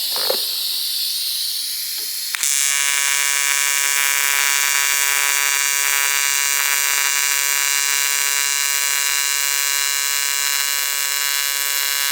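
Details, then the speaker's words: ARCCAPTAIN 200P AC/DC TIG welder on AC at 140 Hz, balance 20%, after raising frequency and adjusting balance: steady, even high buzz with crisp hiss and no sputter after the strike; stable normal AC TIG arc. "Yeah, definitely like the 140 hertz for sure. I think with the balance at that 20%."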